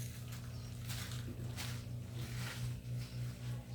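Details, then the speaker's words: Brastemp washing machine set to spin cycle: the drain pump growls with a deep, loud noise and a steady pulse of about four beats a second; the drum is also knocking, and the growl is suspected to come from the pump. "vou ligar ó liguei mas vou colocar na centrifugação e vou ligar vai ouvir o barulho da bomba roncando"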